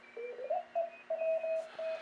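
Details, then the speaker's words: Swan-350 transceiver on CW during a contest, no sidetone oscillator: steady Morse tone near 650 Hz keying with a second station's carrier underneath; receiver works but has no narrow filter to reject the other station. "Doesn't sound too bad on CW, but there's no filter. I can't filter out the other station."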